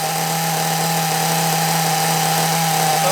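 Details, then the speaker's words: Small nitro RC engine running on the other carburettor: high steady buzzing idle, even note, no hunting or sag, tick-over slightly high; normal idle, running well. "running well sounds really good happy with that"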